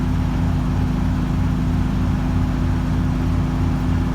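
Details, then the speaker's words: Carbureted engine, first start of the season. Owner suspects a vacuum leak from reused carb gaskets softened with WD40, and the carb was modified. A low, lumpy idle with uneven pulses about three a second that wander. Rough idle, cause unconfirmed. "but it just doesn't want to idle quite yet"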